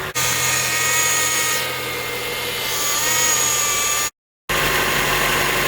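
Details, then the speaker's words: Acura TSX at cold start after repairing the power steering pump sucking noise with new O-rings and checked clamps: steady idle with even engine tones, no sucking or whining. "all right so i'ma start off and the noise is gone"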